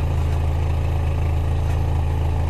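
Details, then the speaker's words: Car after exhaust refit following emissions test failure, at idle: low smooth steady hum with no puffing, ticking or rasp; exhaust not hitting heat shield and no leak felt; normal idle. "nous pouvons voir après plusieurs mises en manche du véhicule on n'a pas de ça ne tape pas sur le bouclier thermique donc on peut dire qu'on est bien et on a pas de fuite je ne sens pas de fuite"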